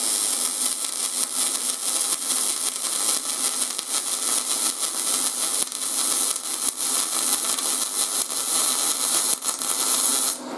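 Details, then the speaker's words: YesWelder 250 MIG Pro welding steel at inductance +10: soft, smooth hiss with only a faint crackle and no crisp frying. The arc runs too cold; the puddle needed more heat, so amperage would need raising. "and with that inductance guys it felt like i actually needed to make the weld puddle a little bit hotter i i would have had to adjust in my amperage it just wasn't enough"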